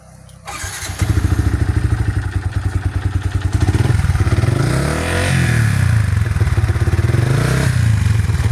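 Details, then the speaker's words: Yamaha Vixion single-cylinder at idle: hard, uneven knocking beat about three per second as the rider reports a rough engine; piston slap from a worn piston and block, both needing replacement. "cuman ada sedikit suara kasarnya cuman baru sedikit ini kendalanya ini suara peston ini peston peston suara peston"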